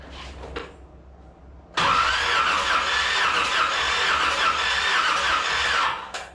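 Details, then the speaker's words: 1981 Corvette, engine reinstalled: starter cranks evenly for about four seconds with no catch; no spark because the distributor power was left unplugged. "Same as always. I forgot to plug the power in. That's what the problem is."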